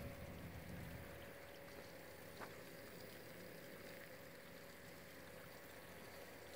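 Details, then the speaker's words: Serial D5 water-cooling pumps running at 100% rpm, about half the volume of the previous DDC pump at 50%; quiet, even hum with faint constant whine over light water trickle, running smoothly at full speed. "these D fives running at 100% rpm sound like the DDC did it at that 50% rpm it's about it's about about half the volume I'm not even kidding"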